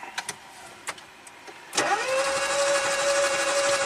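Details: 2016 Smart car, 0.9 L three-cylinder turbo, ran worse until it quit, no stored codes, cranking with a little throttle: even starter cranking at about three turns a second, light and quick with no catch; low compression, valve timing well out.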